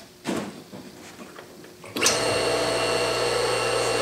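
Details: 1.5 hp electric motor after ball-bearing replacement, reassembled with the draw bolts tightened evenly, on a test run; before the repair it sounded noisy and coasted only briefly. After a few clicks it spins up to a clean, steady hum with an even tone and no rumble or grind; bearings sound good.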